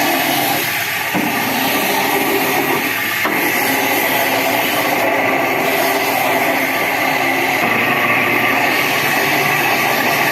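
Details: Window AC fan motor running; steady whirring hum with a rough, gritty rushing throughout from worn fan motor bearings, cooling otherwise fine; motor then opened for bearing replacement.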